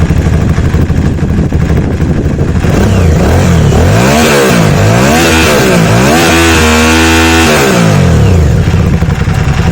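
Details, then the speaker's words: Aprilia Shiver 750 revving with the clutch pulled in, after topping up the oil: a rough, uneven, train-like clatter that follows the revs. The oil level is doubted; the source is unknown. "still quite rattly i put a little bit more oil in it and dip the clutch off i don't know if that's just a thing it does sound like a train"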